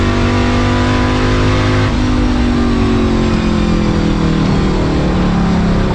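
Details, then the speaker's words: Ford Mustang with Coyote V8 after new exhaust and Y-pipe install fixing a months-long rattle (traced to a fender bolt): steady deep hum at highway cruise around 65-70 mph, 2,000 rpm, louder as throttle opens, in-car; no rattle or buzz, healthy. "I'm an absolute love with the sound of the new exhaust on the Mustang one there's no rattles two the Mufflers sound great and it sounds incredible when you're cruising and it's low where you want it"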